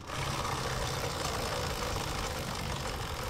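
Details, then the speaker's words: Honda Supremo 150 running: steady gritty metallic rattle like a crushed bearing, from a worn drive chain whose rollers wear out and a worn, loose sprocket. "so pangalawang dahilan mga idol no is pudpod na rin yung sprocket Ayan oh pudpod na rin yung sprocket kaya maluwag na rin dito sa may kadena niya"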